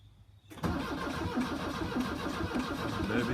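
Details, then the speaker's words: 1982 VW Vanagon Westfalia diesel with new glow plugs and starter, chilly day: after the starter engages, a slow, uneven chug about three times a second that never catches; cranks but won't start, battery sounds weak, jump start planned. "all right so right now it's turning over but it sounds like the battery's still weak"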